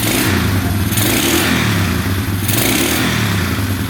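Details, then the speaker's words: 2011 Polaris Phoenix 200cc single-cylinder ATV, just started on choke with the airbox off after repairing a disconnected ground wire: two clean rev blips settling back, no smoke, no knocking; engine sounds healthy. "sounds great no smoke at all no knocking in the engine yeah everything sounds really good"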